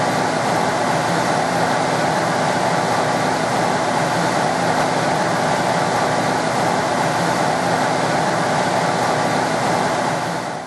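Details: Two-speed blower motor, now running with a new start capacitor: steady, even rushing whir, no grinding or rattling; the old motor was very noisy on high speed from a bad bearing.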